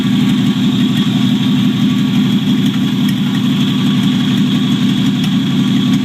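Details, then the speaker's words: 1949 Chevrolet Deluxe 4-door, first start of a replacement engine swapped in for a locked-up one, no exhaust fitted; loud raw exhaust note but steady, even idle with no knocks, generator working, throwout bearing audible. "Cool, the generator is actually working. How cool is that?"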